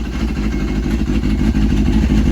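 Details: Yamaha RX1 1000cc four-stroke sitting 6 years, first start after ultrasonic carb clean and battery charge: deep, even low rumble with steady firing pulses, no misses or knocks; normal idle.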